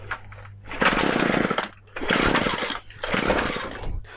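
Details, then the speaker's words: McCulloch MH542 P hedge trimmer after primer bulb replacement, three primes, full choke: raspy two-stroke catches on first pull and runs in three strong bursts with short dips; healthy start, then switched to half choke. "So when it fired, then did you hear that the first pull? Once you do that, you just want to flick it on half choke."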